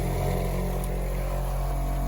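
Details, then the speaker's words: Shurflo 2088 series water pump after fitting the silencer kit: self-primes but still a loud steady drone with low buzzing hum at constant pitch, no quieter by decibel reading, though it fills faster. "Oh, no way. It primed itself. But is it any quieter? Well, I don't think it's any quieter."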